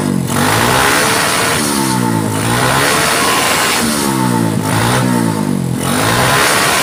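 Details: Honda Supra X125/Kharisma small single, owner reports low power, after adjusting a timing mark position: three or four clean rev sweeps pulling up smoothly without stumbling; crisp, healthy, normal revving.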